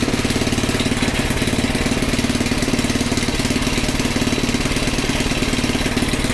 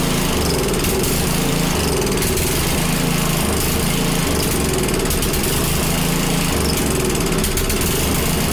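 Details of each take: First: Small Predator single-cylinder engine (about 96–99 cc) on a front-tine rototiller, after the belt was tightened, with a new filter and a good plug, warming the oil: a steady, even thump of about three firings a second, no misses; runs normally. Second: Small Predator single-cylinder engine (roughly 96–110 cc) on a front-tine rototiller, just started after choking: loud but uneven running, with the beat rising and falling in bursts; rough, hunting running, and a carburetor problem is stated.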